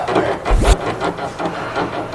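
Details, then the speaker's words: Car with slight creaking on concrete roads: rocking the sway bar end link by hand gives a dry creak and rub; its torn boot let in grit, wearing the ball joint, so the link is replaced. "这个异响发出的声音主要是从这儿发出来的。防震套坏了以后进去泥沙，然后导致磨损，嘎吱嘎吱响。"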